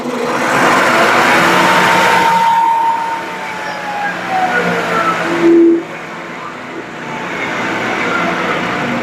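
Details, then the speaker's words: Used Shopsmith, power on, speed dial wound from highest to lowest setting: even motor hum whose pitch steps smoothly lower with no rattles, vibration or surging; speed control working normally. "and that's our lowest speed. So, as you can see, this machine when we first turned it on was already at the set at the highest speed."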